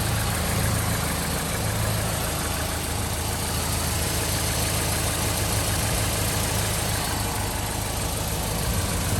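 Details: 2013 Chevy Caprice PPV, L77 LS V8, after displacement-on-demand delete with DOD unplugged: steady low idle with slightly uneven, lumpy pulse; rough idle from incorrect cam reluctor wheel upsetting timing.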